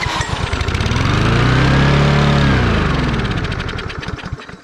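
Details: Lawn mower that won't start but runs if gas is sprayed into the carburetor; compression, spark, fresh gas and clean oil confirmed. Brief firing and revving on the primed fuel, then it dies. The carburetor is presumed clogged and needing cleaning.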